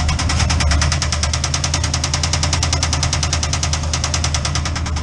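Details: Chevrolet C10 with 307 V8, mufflers fitted, normally smokes on startup: sharp heavy metallic knock about ten per second at idle, heard in the engine bay; piston striking cylinder head, catastrophic failure, teardown planned.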